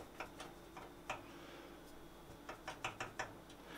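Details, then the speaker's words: Chewlix arcade cabinet with PC fan running, top panel not yet refitted, after noise work; faint irregular light ticks in small clusters over soft fan hum from the loose lock latch tab rattling, otherwise no unpleasant clatter. "ce qu'on entend, c'est la patte de la serrure. Hein. Sinon, on n'a plus de claquement désagréable."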